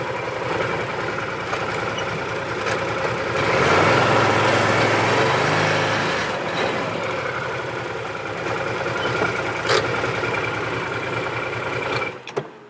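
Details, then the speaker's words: 2017 Odes side-by-side after the fix: the engine rises and settles smoothly in revs with no stumbles or cut-outs, because the gear position sensor no longer jumps to neutral or reverse and upsets the fuel enable. "So boom, right there, no more hesitation, no more spitting and sputtering, because that gear position sensor is no longer jumping around, showing neutral or reverse or any of that crazy stuff and kicking that fuel enable in."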